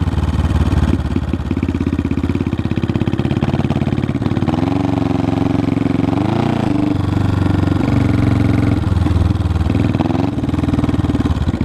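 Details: 1974 Honda CB500T cafe racer pulling away. Slightly uneven firing with wavering revs. It runs rough and has a hard time staying running; the owner suspects the carbs need a rebuild and sync.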